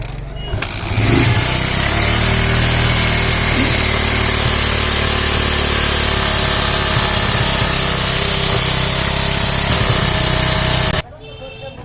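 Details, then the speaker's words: Bajaj Discover motorcycle idling with oil check bolt loosened: loud idle with busy uneven metallic timing chain chatter; no oil comes out, oil pump not delivering, so noise persists despite new timing chain tensioner; clutch side to be opened. "তো এখানে কিন্তু একদম Mobil বের হচ্ছে না, অর্থাৎ Mobil pump থেকে ঠিকমতো ইঞ্জিনে মোবিল দিতে পারছে না, যার কারণে কিন্তু আমরা টাইমিং অটো লাগানোর পরেও দেখা যাচ্ছে যে ইঞ্জিনের শব্দ একদম স্মুথ হচ্ছে না।"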